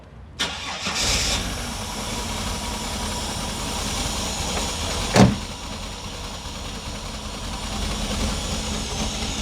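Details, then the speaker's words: Holden Commodore idling after start, faint uneven stumble with one cylinder missing, while comparing cheap Chinese injectors against Bosch replacements. "yeah it's missing a bit let's have a look"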